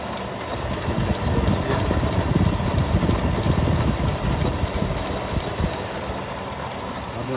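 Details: 2020 Chevy Suburban 5.3L V8 idling with a rough low growl and light uneven ticking from the water pump; pump pulley has excessive play, broken water pump bearing.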